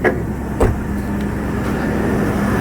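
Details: Chevy Blazer 4.3 V6 that cranked but wouldn't start after sitting, now repaired (owner points to distributor cap/rotor or fuel pump as usual causes): catches after a short crank and settles into a steady, even idle; running healthy.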